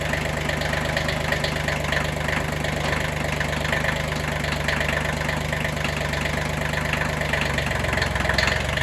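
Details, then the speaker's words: Kubota B6100 tractor after replacing the clutch pilot bushing: a steady, even diesel idle clatter with no knocks or grinding. No noise; the repair is successful. "Oh, yeah. No issues."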